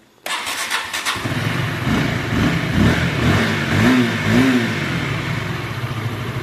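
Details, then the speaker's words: Sonic motorcycle engine after crankshaft bearing substitution, con rod replaced, balancer bearing replaced, head lapped slightly; quick starter whir, catches at once, steady even idle, no knocks or rattles; normal start and idle. "kalau kop udah pasti aman karena udah di presisiin lagi oblak sedikit diamplas udah maksimal dan putarannya enggak seret ini buktinya di starter juga ataupun saat langsam dia"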